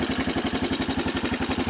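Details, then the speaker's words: 1985 Honda TRX250 ATV single-cylinder, first cold start after purchase, choke on, neutral: fast even clatter on top of idle thump; noisy, cause not identified, owner suspects it's an oil burner. "so that's what the engine sounds like"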